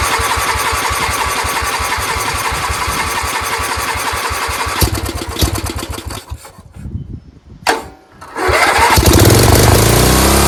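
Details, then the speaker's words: Dayton lawn tractor's 11 hp Briggs engine, first run with a fuel leak and water seen at fuel shutoff, catches with a steady beat, fades, fires again and settles smoothly; it runs. "so we know this thing runs now."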